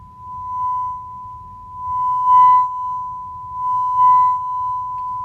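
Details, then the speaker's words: Marantz 2250B receiver after preamp-section repair: a steady 1 kHz test tone plays cleanly with no crackle or dropouts, after DeoxIT D5 was sprayed into the dirty switches and they were worked back and forth; the earlier crackling is gone. "no more crackling it's a great sign"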